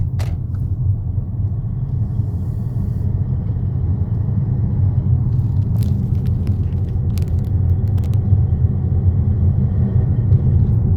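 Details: 2014 Mercedes GLA200 with under 30k on the clock: heavy, deep rumble while accelerating, louder than a normal engine would be.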